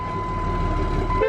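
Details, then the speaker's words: 2003 Dodge pickup, new batteries, transmission removed and neutral safety switch bypassed to start: steady horn tone over the idling engine on start-up, cutting off after a second; owner thinks the bypass triggers it, unconfirmed. "i think it's probably because the transmission is not in the truck at all and we're basically bypassing the neutral safety switch to start it so it doesn't like that"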